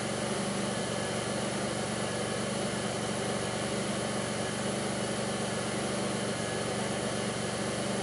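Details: 2002 Pontiac Grand Prix 3800 V6 with a rough, bogging idle, no check engine light and an overheating alternator, logged with Torque OBD2: an uneven, lumpy beat with dull thumps about four per second; faint intermittent thumping pulls the idle down, cause unknown.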